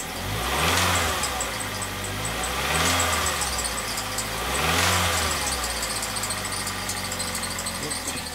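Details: Ford Fusion with P2004/P2008 intake runner codes: engine revved three times, a fast high chirp with a knock as revs climb, water pump suspected at first, found to be a dry accessory pulley bearing: dry belt tensioner pulley bearing.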